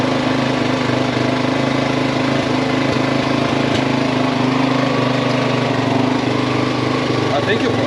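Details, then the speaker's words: Yamaha XT350 single after a coil change, now running better: settles into its own steady idle but an unfamiliar irregular noise rides on top; unusual noise at idle, cause unknown. "It actually caught its own idle. Huh. I don't know what that noise is."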